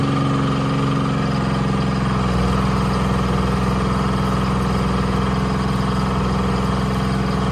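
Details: Bantam C350 crawler crane's Detroit Diesel (believed 3-53) two-stroke, revived after about 20 years parked: steady drone holding even note under hoist load lifting the boom, no knocking or misses; engine fine.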